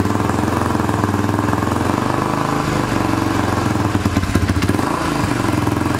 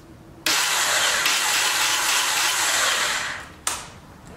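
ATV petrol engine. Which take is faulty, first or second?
second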